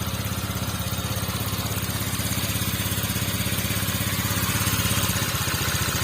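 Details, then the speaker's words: Water-cooled motorcycle, recently bought, coolant was boiling with rough engine, cylinder bore still original, started and left running to test overheating: even, steady idle, smooth, no misses or knocks; engine sounds good. "suaranya bagus suaranya halus"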